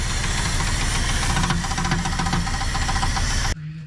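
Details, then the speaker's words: Heavy rough repeating knock over the V8 engine of a 1975 Dodge Charger street car, loud and steady until cut off; possibly rod knock or possibly a loose flywheel (star wheel) bolt, cause suspected, not confirmed. "Well, a lot of people are telling me that it could be rod knock, but it could also be a loose flywheel bolt."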